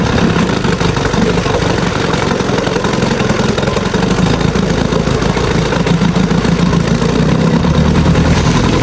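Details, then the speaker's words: Free Evinrude sport twin two-stroke outboard after years in storage, carb cleaned and new fuel lines, pumping water: steady, even putter at idle with no misses or stumbling; runs smoothly. "I took the carb apart and cleaned it all up and hooked gas back up to this thing, and it runs like a dream."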